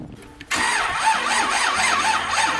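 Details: Rusty Chevy Malibu, stranded with a dead battery, jump-started from a jump box: short crank, then fires and settles to a steady idle with a wavering belt-like whirr; normal start.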